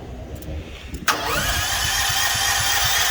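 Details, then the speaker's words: Propane-powered home-backup generator with push-button auto-choke start and fuel valve on, but the propane tank valve is still closed. The starter whirs with steady compression chugs and the engine never fires: crank, no start. "Oh, open the propane up. That'll help too."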